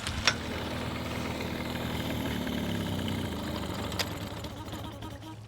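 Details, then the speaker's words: Small Mercury outboard just after carburetor reassembly, fuel pressure good, choke pulled, on flush muffs/bucket: catches and settles into steady, even idle without stumbling or surging; sounds butter smooth, healthy. "That was really promising. That sounded butter smooth."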